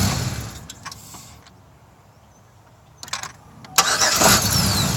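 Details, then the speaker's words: 2005 Chevrolet Equinox 3.4 L V6 restarting: a light rapping from the lower end as it catches, also faintly near 2,000 rpm. Suspected rod knock from a known oiling issue causing premature wear. "can you hear the light rapping from the bottom here"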